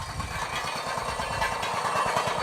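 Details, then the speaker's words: Poulan lawn tractor with a Briggs & Stratton engine, first run after sitting all winter. A quick low rattle of about seven to eight beats a second rides over the engine, coming from a loose inner plate in the muffler. "Sounds good, other than the muffler that I have in there that has a loose plate, you know, but I welded it on there, so I'm gonna sell this one for cheap anyway."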